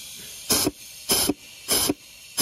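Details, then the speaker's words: Transmission air pressure check: four sharp bursts of air hiss over faint steady hiss as air escapes inside from a leak in the forward clutch apply circuit, which could cause delayed engagement. "you could hear the air leaking escaping inside so there is a uh a leak somewhere with the application from this port to the forward clutch"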